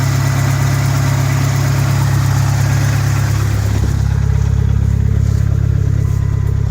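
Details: 1991 Dodge Spirit ES 2.5 turbo 5-speed, after a long no-start traced to the fuel pump (Viper pump): steady, even idle with a smooth low drone and no misses, knocks or surging; normal idle after repair.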